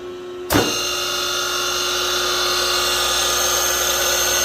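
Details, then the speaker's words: 1965 DeWalt radial arm saw GA 5 hp three-phase motor, frame 573, before rebuild: starts and runs with steady high, slightly gritty hum and fine ringing tones, suspected worn bearings; new bearings on hand for rebuild. "we're going to test around it first see what it sounds like before I rebuild it have the bearings in stock see how this sounds when it runs"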